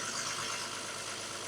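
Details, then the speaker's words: Infiniti G37 VQ37 engine after a DIY rebuild, on its first start: it fires right up into a steady, even idle with none of the earlier rattling and no knock underneath; normal idle. "Hey, let's go, guys. It fired right up. Let's freaking go. And it sounds pretty good, actually. I don't hear any of that crazy rattling noise,"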